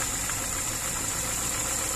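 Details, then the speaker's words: VAZ 2103 engine after valve adjustment, following a knock from a loosened valve adjusting bolt and tight valves that slightly damaged it; steady even idle, no misfire, no tapping, very quiet; normal idle. "моторчик чуть повредился конечно этими зажатыми клапанами но не троит очень тихо"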